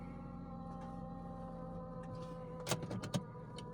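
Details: 2003 Mitsubishi Outlander, 4G64 2.4 L 142 hp engine running: steady low droning hum unchanged at idle, present for three years, from a faulty front AC compressor pulley bearing.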